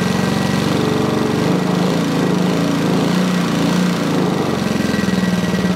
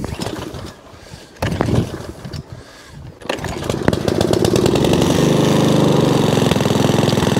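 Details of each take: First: Sovereign lawnmower engine after cleaning out gunk; runs steady but flat, low-pitched and never reaches full speed, still not revving high enough; underspeeding. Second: Sovereign lawnmower after carburetor adjustment, cleaned spark plug, replacement heat shield and drive fix; a few pulls, then settles into an even, steady beat with wind gusts; drive works, engine runs cleanly; normal running.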